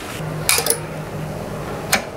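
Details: Voltage stabilizer after repair of its output fault, at switch-on: low hum with crisp single relay clicks near half a second and two seconds; normal relay switching, with output expected after a three-minute delay.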